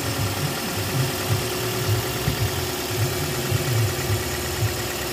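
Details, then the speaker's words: 2007 first-gen Toyota Vios petrol engine, recorded in the engine bay: ticks over smoothly at a low steady idle with no knocks, rattles or squeals; healthy. "Tahimik na yung engine niya ngayon, tatahimik na."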